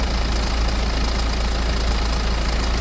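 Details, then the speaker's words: 2008 BMW E90 320d diesel before timing chain replacement: heavy idle with busy clattery rattle over the rumble from the timing chain; engine ran smooth after the chain and a pulley were replaced. "the time chain on my car was slightly rattly I was not lying"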